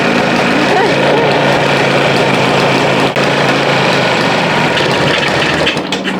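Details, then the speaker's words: 1974 Yamaha TY250 two-stroke, first run after getting it going; loud, fairly steady, crisp buzzy ring-ding with some smoke and no knocking or missing; normal healthy two-stroke idle. "I'm so happy this thing runs sounds like a two-stroke yes oh I'm so happy about this so happy"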